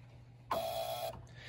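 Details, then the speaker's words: Central AC in attic with no blower, thermostat unpowered: Honeywell breaker-protected transformer reset and powered, loud buzzing hum flares for a split second; wiring short between air handler and condenser overloading it. "hear that humming sound yeah no bueno"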